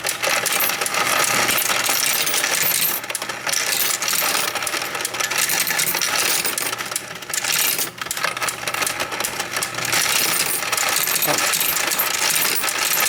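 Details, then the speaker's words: Royal Sovereign FS-44P coin sorter: busy rattle of coins tumbling with fast light constant clicking from anti-jam mechanism; normal running. "And there is a clicking sound that you'll hear while the machine runs. That's normal. That's the anti-jam mechanism. You'll always hear that clicking sound."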